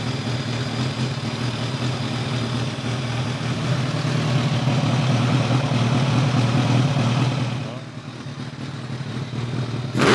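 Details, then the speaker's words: 2002 Kawasaki ZRX1200R with Keihin CVK carbs, sat a while, started with enricher: hums evenly, sags as the throttle closes, then a sharp pop; runs better but still has lean deceleration popping from an open carb vacuum port. "runs a lot better there's no question about it she still has a little bit of diesel or when you let off the throttle Pop"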